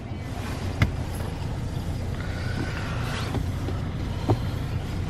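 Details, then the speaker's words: Car whose muffler fell off twice: deep, hollow drone at idle with a couple of sharp pops from the open, unsilenced exhaust; loud exhaust from a missing muffler. "basically it's that my muffler fell off twice and then it started making this really really weird noise"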